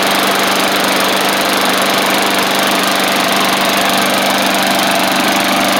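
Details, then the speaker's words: Bolens push mower, Briggs & Stratton Classic engine after repairs including carb kit: steady even buzz at speed, no misses or surging; runs cleanly, possibly a little water left from washing. "got a little toggle switch on it and so I'll let it run for a little bit just to make sure it's all good but man it's she's cruising along"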